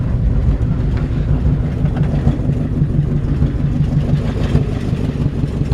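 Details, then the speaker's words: 1952 Ford F1 pickup started cold at about 38°F and not warmed up, idling with the choke pulled. The cold idle is lumpy, with a rough puffing chuff on each firing pulse from a small exhaust leak. "got a little exhaust leak as you can hear from just from listening right here"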